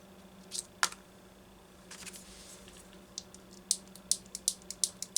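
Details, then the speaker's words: Homelite XL chainsaw that wouldn't run, fuel hose on the oil-pump-mounted carburetor being bent: dry, crisp crackling in quick bursts from a hardened, cracked hose that needs replacing. "been through that before if it makes that noise ain't no good no good at all"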